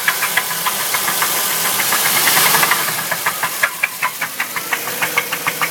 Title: bruit moteur v8 4litres